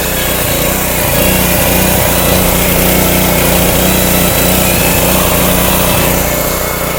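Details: Subaru small engine on a pressure washer, running after gas tank leak near the cap and neck was temporarily sealed with Flex Seal; steady, even buzzing at constant speed with no misses, knocks or surging, no leak seen yet. Normal running.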